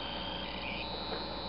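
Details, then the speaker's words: Model DC locomotive run on a DCC track: DCC voltage reverses the motor's direction very rapidly, causing a steady, shrill, high-pitched buzz over the motor hum that doesn't change with speed, and the headlights go to full power. "It causes this buzzing sound that you can hear, that high-pitched buzz."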